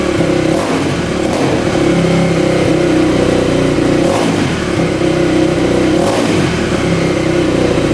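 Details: 2000 Yamaha WR400 single-cylinder four-stroke dirt bike after stator replacement and rebuild for no spark and no compression; revs up and drops back cleanly three times, crisp throttle, steady idle between, no knocks or misses; healthy.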